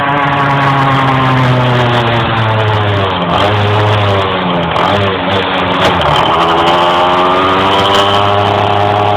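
Revs climb slowly and unevenly, pitch wavering and stalling while driving under load; engine hesitates, cause unclear.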